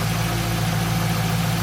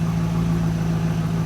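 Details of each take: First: Warm idle on a stock 2002 Pontiac Trans Am WS6, uneven lumpy beat with occasional stumble; cylinders four and five showed misfires, cutting four made it worse, five unchanged; misfire traced to a worn spark plug. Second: Stock 2002 Pontiac Trans Am WS6, nearly 200,000 miles, after replacing a worn spark plug: steady, even low idle, smooth drone, no stumble; no misfires on cylinders four and five, the plug was the cause all along.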